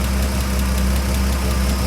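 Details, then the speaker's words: 1993 Ford F-150, straight-six Ford 300, at idle after valve cover refit: light quick ticking about six per second timed with valvetrain, a stuck hydraulic lifter; revving to about 4,000 rpm unstuck it, though it recurs. "well it seems as if it's fixed itself all I did was put the valve pain back together the valve cover back on start her up R it to like 4,000 RPMs and it unstuck itself"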